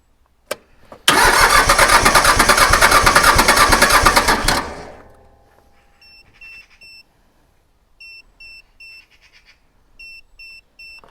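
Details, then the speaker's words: Iseki mini diesel tractor, sat two years after refusing to start: even rapid cranking for about three seconds with no firing, then stops and a chime beeps; suspected weak battery not turning it fast enough; cranks, won't start. "he's trying just as if the doesn't quite give it enough to get there"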